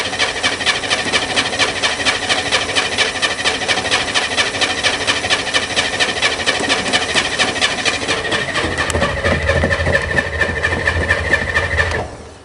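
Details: Corvair Spyder on a cold start on a rainy late-spring day, with an electric fuel pump pumping and fuel smell present: fast, even starter churning for about twelve seconds with no firing or catch. Cranks but won't start.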